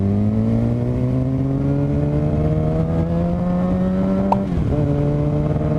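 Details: 2007 Suzuki GSX-R 750 droning with a rising whine tracking revs and uneven note like a dropped cylinder; owner suspects charging fault, stator or regulator/rectifier, battery fell 13 to 9 volts, bike later died; misfire with whine.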